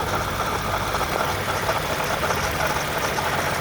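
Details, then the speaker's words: 2010 Toyota Camry XLE idling after errands: rough, busy idle with a steady rattly whir on top, the worst it has been, with a hint of coolant smell; failing water pump needs replacement. "now you could hear it i went around i did some errands and now i'm back and now you can hear it listen that's actually the worst it's ever been"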